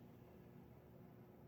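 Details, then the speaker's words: Montgomery Ward 4E-2W 48-inch ceiling fan, circa 1981-82, on speed 4: scraping from the bearings plus a deeper steady groan, probably from the motor (unsure). The groan goes away on high speed. "the scraping sound i know is definitely the bearings but there's a deeper groaning sound which is probably"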